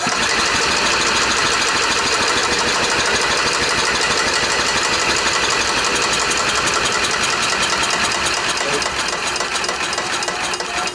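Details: Club Car golf cart stored 4 years in a barn, on a 150 amp charger: steady fast cranking about three beats a second that never catches, cranking no-start.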